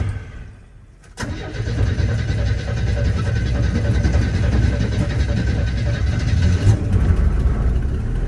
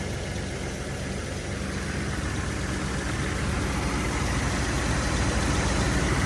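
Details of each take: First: 1981 Chevy C10 cold start just after a spark plug change, with the foot on the gas; one old plug was wet with oil. It catches after a short crank and runs low and uneven with a wavering beat, then fades out; stalls after starting, a hard cold start. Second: 1981 Chevy C10 after a spark plug change (one old plug was wet). A steady, even idle with a smooth low rumble holding its speed and no stumbles or misses; it idles a lot cleaner than before. Normal idle.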